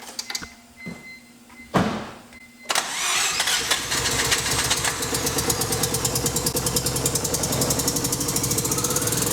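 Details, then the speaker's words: Mazda RX-7 FD rotary, first start after installing a new, primed turbo and exhaust gasket; it earlier sounded like it was running on one rotor. Several short cranks, then it fires into a fast, choppy pulsing run. Condition unconfirmed. "So hopefully we'll hear a first start and everything goes okay."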